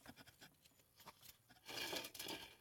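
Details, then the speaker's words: 2004 Astro/Safari van, serpentine belt removed: hand-spinning the alternator pulley gives a dry, gritty rasp that grows with speed, a worn alternator bearing; the tensioner pulley sounded fine, alternator needed replacing. "but what the noise is actually coming from i think is the alternator"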